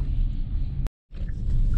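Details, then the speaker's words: 2021 Genesis GV80 2.5 L, 33,000 km, after rear repair for a clunking noise when braking forward and reverse: test drive with steady low road rumble and no squeaks, knocks or clunks; quiet rear suspension. "right guys so I've been driving around already so far I don't hear any abnormal noise on this vehicle"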